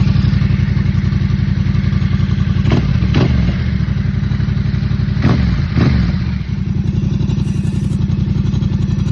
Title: 2024 Yamaha MT07 rattling noise anyone know what it could be ?